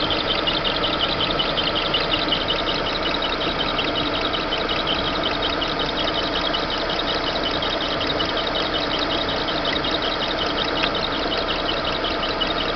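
Steady idle with a busy, irritating high chatter riding on top, not following any clear beat; seems to come from the belt area, cause unknown.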